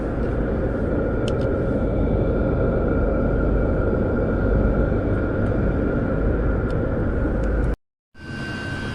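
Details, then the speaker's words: Chinese diesel heater running with a 5 m extra-long 22mm copper exhaust: steady even roar with a faint constant tone, no misfire or surging, putting out good heat; normal running. "is running fine just turn that down a little bit now it's proved its point it's a good heat I mean this is the main heat coming out here and it's really kicking some heat out"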